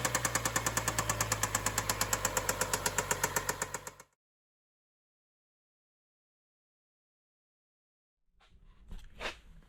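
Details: BMW N55 535xi in stop-and-go traffic: sharp, even knocks about three per second over the idle, then the engine cuts out. It kept stalling after restarts and the knock grew louder. With the valve cover off, the chain was tight and the valvetrain was intact; serious internal knock, cause unknown.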